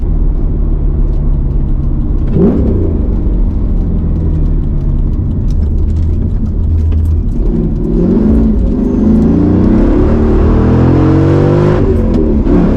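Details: Mercedes C55 AMG after crankshaft position sensor replacement and ignition work, driven on a mild day about 60°F; revs hang near 2,000 rpm instead of returning to idle on deceleration, cause not yet found; rev hang on deceleration.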